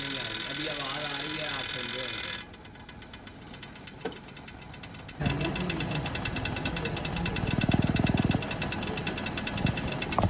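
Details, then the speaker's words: Left wheel with the brake pad missing its shim (patti), engine running and wheel turning: light, fast rattling ticks, roughly four a second, from the loose pad. Brake pad rattle from missing shim. "ये जो pad है ये इसमें म इस तरह जब गाड़ी चलती है जो आस्ता आवाज आती है इस ये आवाज आपको आ रही है"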